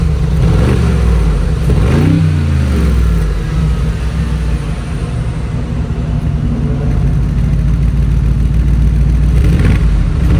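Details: 2020 Mercedes G63 AMG V8 warm start after a 15–20 minute drive, with newly installed FI axle-back exhaust, comfort-mode blips: deep smooth rumble rising cleanly and settling to idle; healthy, quiet exhaust.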